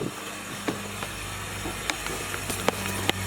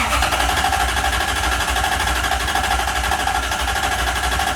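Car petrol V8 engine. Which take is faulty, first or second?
second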